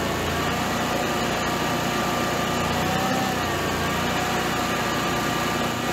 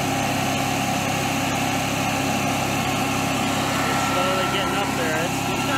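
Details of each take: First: Generac-built Honeywell standby generator after an overspeed shutdown: the loose governor servo screw was Loctited and the servo readjusted with room to go slower or faster; steady, level engine hum, no hunting or surging; normal governed run. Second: Generac-built Honeywell propane standby generator: loud, steady high-pitched drone around 4,000 rpm with no dip or hunting. The engine is overspeeding because the governor is not controlling it, and a failing stepper motor is suspected.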